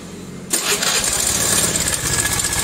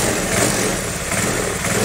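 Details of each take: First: Carbureted Honda Vario 110 scooter at idle: fast, uneven metallic ticking like metal striking metal, from a worn cam chain tensioner. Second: Carbureted Honda Vario 110 scooter after replacing a worn cam chain tensioner that made a metallic ticking: steady idle rising a little with the throttle, no top-end ticking. Normal idle after repair.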